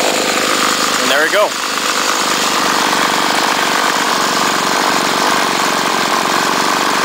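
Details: 2008 Homelite trimmer two-stroke (UT 21546A), started on choke after a couple of weeks unused and low on fuel: pull-start chirp, then catches and holds a steady high buzzy run with no stumbling; healthy.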